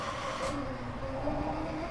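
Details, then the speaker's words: 1960s Hammond M101 organ unplayed for many years, tone generator spinning up with low rumbling whir and faint wavering tones, noisier than it should be; dry, needing lots of oil. "that's not a good sound that sound is the tone generator spinning and it should make that kind of noise so right now that's telling me it's needs tons of oil"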